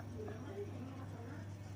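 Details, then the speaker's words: Sharp one-door refrigerator during repair for a "light on but not cooling" complaint, with the compressor at the back running again: a steady, even low hum with no knocking or clicking, a normal, healthy running compressor. "Sekarang, kompresornya berbunyi mendengung. Kompresor mengeluarkan suara mendengung, yang menandakan bahwa kompresor sekarang sedang bekerja."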